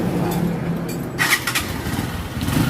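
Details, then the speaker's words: Honda TMX125 that misfired and bogged, fixed by removing a plastic seat cover that choked its air intake: quick catch, then a steady single-cylinder beat with no stumbling: normal start and idle. "yun guys okay na. Nawala na 'yung parang napipigilan ng takbo ng kanyang motor."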